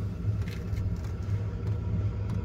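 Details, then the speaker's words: Chinese 8 kW 12V portable diesel heater on a boat, on lowest setting: soft low rumble with faint slow ticks about one per second from the fuel pump; running normally, clicking speeds up at higher settings. "The clicking you can hear has gone faster, so it's now pumping more fuel to the burner."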